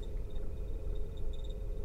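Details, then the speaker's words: 2007 VW T5 Transporter heater blower just after heater blower resistor replacement, fan on speed 1: low steady hum with faint irregular high chirps, squeak growing on higher speeds; blower motor squeak, cause unconfirmed, seems to come from the blower. "of a squeak number two the more of a squeak number three even squeakier number four now why is it squeaky well it's working but it's squeaking"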